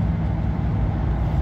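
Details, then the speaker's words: 2004 Chevrolet Silverado 2500HD, 6.0 liter, at highway speed: low, even engine hum under road rumble, revs holding steady in the high gear without hunting; normal cruise in overdrive (fifth) lockup. "see it's it should be able to hear the engines staying in the high"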